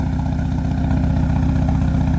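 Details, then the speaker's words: Peugeot 205 Turbo Diesel with lightened 4.5 kg flywheel and performance clutch kit: even, steady diesel clatter holding speed without hunting after idle adjustment; normal idle, well set. "Ralenti bien réglé. Là on est bien. Ça chante bien."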